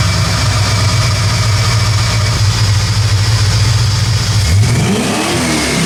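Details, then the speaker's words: 1979 AMC Spirit AMX 304 V8, Brawler carb, dyno pull under load: flat steady drone that never builds then drops off; collapsing throttle-cable casing causes slack so secondaries don't open fully; restricted throttle, new solid sleeve needed. "my secondaries are definitely not opening all the way ouch I had EXP Lanes a lot his throttle cables turned into a slinky"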